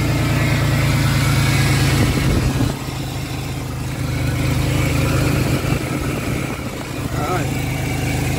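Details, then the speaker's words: 2003 Ford Explorer at idle after idler pulley replacement for an under-hood whooshing noise, about 39°F: steady even rumble, no whoosh or bearing whir, noticeably quieter; owner hears an occasional alternator whine that may be failing. "definitely quieter than it was that's for sure"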